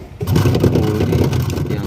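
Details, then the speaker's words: Polytron twin-tub washing machine running but very noisy: harsh low rumble with a grinding edge as the wash motor spins; loose pulley rubs the wash motor cover because the shaft hole or gear is worn or damaged. "Katrolnya sudah longgar . Itu menekan penutup motor pencuci , teman-teman. Itu bergesekan dengan penutup mesin, teman-teman."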